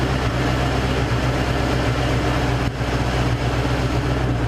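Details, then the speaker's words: Warm V8 in a Cougar idles smoothly after the misfire repair, steady even beat with no skips, popping or misfires; exhaust smells less of gas. Misfire gone, sounds good. "miss fire's gone she sounds good"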